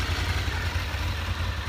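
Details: Honda VFR 750 after clutch basket repair (clutch-side knock that worsened when hot): warm idle while the clutch is pulled and released, with only faint camshaft ticking; the knock is completely gone, healthy.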